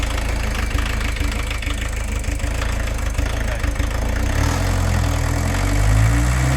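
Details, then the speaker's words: VW camper diesel van idling with uneven, lumpy clatter that stumbles, then smooths slightly; better than before, but leaking injectors are spoiling the idle, so the injectors are to be lifted and checked with a 17 spanner. "Leakage from the injectors, so I just want to lift them up first of all. So we're never going to get it running as cleanly as possible with leaking pressure off them."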